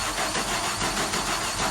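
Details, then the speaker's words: 1991 Audi 200 20V Avant 5-cylinder, first start after cylinder head repair and fixing a broken plastic distributor gear that left it a tooth off with no spark, fuel or injector pulse: it settles into a smooth idle, with brief start-up tick from bled-down lifters. "Everything sounds good so far. There was a little bit of valve train tick that you heard on startup. That's because those tappets or the lifters, whatever you want to call them, were bled down."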